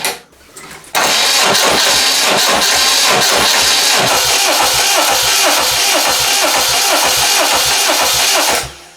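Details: Westwood lawn tractor with Ruggerini twin-cylinder air-cooled vertical-shaft diesel, previously hydrolocked, new starter fitted: strong even cranking about eight seconds with steady pulse, no firing while fuel still bleeding through; normal cranking, no start.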